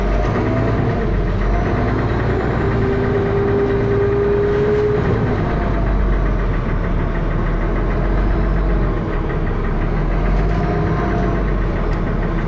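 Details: Dennis Arrow diesel bus, First Manchester 31923 (P423PVW), recorded on a phone in June 2012: harsh thrashing diesel with a steady heavy knock at idle and on the move; cause unclear.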